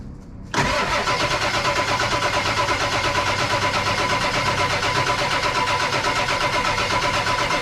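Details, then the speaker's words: 1999 Ford F250 7.3 Powerstroke, abandoned for over 6 years, extended cranking no-start despite compression, fuel and high-pressure oil. Long steady cranking at under three beats a second with no firing. Weak batteries suspected, or injectors stuck from stiction. "that's this is what I've always gone through with Spike batteries on a diesel there's just not enough there to just keep it going long enough to light it"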